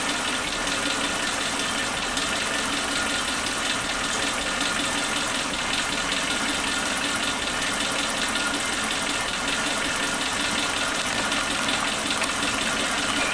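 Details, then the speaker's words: Suzuki Katana engine on point ignition, old spark plug wires refitted (firing order 1342) as a check: popping from exhaust and slight RPM dips, confirming the fault; misfire from faulty spark plug wires. "Ada suara nembak ya. Kita lihat RPM-nya. Nah, itu ada turunan sedikit. Oke, berarti sudah fix adalah kabel businya."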